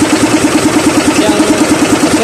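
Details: SDLG loader diesel engine at idle, troubleshooting an engine knock without opening the engine: a sharp, regular knock about ten per second over the idle, cause unknown.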